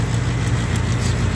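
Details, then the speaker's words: Carrier gas furnace after inducer fan replacement, test run: steady low hum of the small inducer blower spun up to speed, even and smooth with no rattle or scrape, drawing negative pressure before ignition; running normally. "first thing it's supposed to happen is this induction motors gonna come under grace and negative pressure inside the plenum which is going to create a vacuum"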